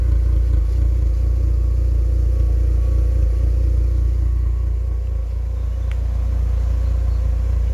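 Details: K-Series engine after coolant tank replacement and refill, warmed up at idle: smooth even low idle pulse, steady beat, no knocks, ticks or hunting; normal idle.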